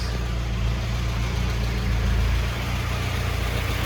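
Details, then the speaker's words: 1985 Mitsubishi Pajero 2555cc petrol engine after conversion to a Weber 32/36 DGV carburetor, mixture and idle screws adjusted: steady, even idle with no misfires, stumbles or vibrations, running smoothly and healthily. "And if you listen to this, steady idle, no misfires,"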